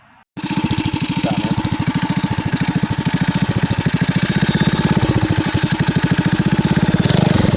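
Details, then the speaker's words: Yurf Dog go-kart with 212 Predator single-cylinder and top-mounted forward/reverse gearbox, first street test ride: steady pull with a loose slapping clatter over the firing beat; slack drive chain jumps around, needs a chain tensioner. "It worked out really well, other than the fact that the chain slaps around a lot. You'll hear in the video."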